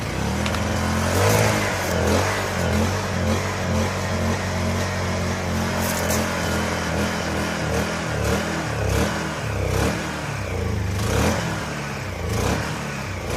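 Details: Honda EU1000i generator bought used, running bad, run after a Seafoam treatment before carburetor cleaning: it hunts and surges unevenly with irregular clattery bursts instead of holding steady speed. Rough running, carburetor suspected.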